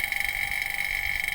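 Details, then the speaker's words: Daikin Multi S split air conditioner, vacuum pump on the pipe connection to the indoor unit: high steady drone with fast, uneven, rough flutter that never smooths and vacuum drops again; refrigerant leak confirmed on that line, pipe or indoor unit still unconfirmed. "Sekarang kita buka, kalau suaranya kasar ya berarti dia bocor. Nah, kasar"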